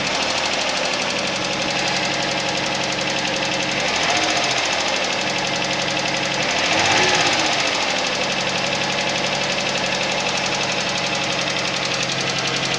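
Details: Suzuki Vitara cold idle: a fast, fairly even knock, about four a second, stands out clearly above the running engine; knock when cold, cause not stated.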